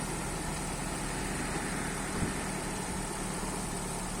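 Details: Opel 1.4 16v four-cylinder petrol engine started after changing spark plugs: steady, even low hum with no misses, ticks or stumbles; normal smooth idle.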